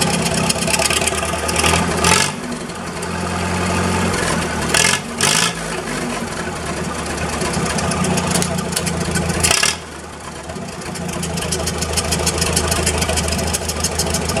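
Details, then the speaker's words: Massey Harris 44 Special tractor, restarted after cleaning the sediment bowl, flushing bad gas and fitting a charged 12V battery: cranks, catches quickly, then idles evenly and picks up cleanly on blips with no misses. There is no smoke. "Dang, that motor sounds good, and there was no smoke or anything coming out of it, and it fired right up."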